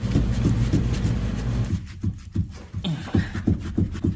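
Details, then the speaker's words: Toyota RAV4 with electric rack-and-pinion steering: repeated dull low clunks, about three a second, as the steering is worked back and forth; visible movement at the steering rack. "all right you can see that it's moving right there that's a steering rack right there rack and pinion so this is electric rack and pinion"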